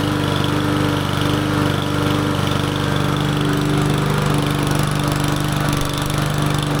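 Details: Small single-cylinder lawn mower engine on its first start after a carburetor clean, with no air filter fitted: it runs at a steady, even buzz with no surging or stumbling; running cleanly.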